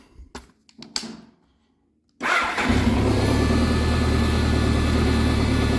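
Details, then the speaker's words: BMW K1100 motorcycle after fuel pump, fuel screen and filter replacement, no leaks and holding pressure; short pump prime then engine fires to even steady idle, new pump audible but much quieter than the old one. "pumps quiet it's definitely much quieter than uh than the last one [Music] you can hear it but uh it's much quieter than the last pump"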